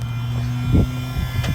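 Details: Truck that won't crank, with fuse pulled: steady low electrical buzz continuing unchanged; suspected stuck relay or solenoid, not confirmed.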